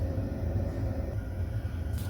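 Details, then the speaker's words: Baxi Combi 133 HE Plus combi boiler after replacing the faulty PCB (board fault): fan running, fired up, no red light; low steady burner roar under constant fan hum, no clicks, rattles or surging, running normally. "so we've turned it on now i can hear the fan running so now it's fired up and no red light so it's running as normal and it was the pcb"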